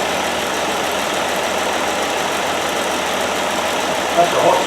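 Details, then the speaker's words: 1969 Land Rover Series 2a six-cylinder, rear cylinders previously misfiring, after spark plugs checked and refitted: steady even idle, no skips or stumbles; all cylinders firing cleanly. "as you can see now she has the back of the engine it's all wrong firing away quite merrily that's a good sign"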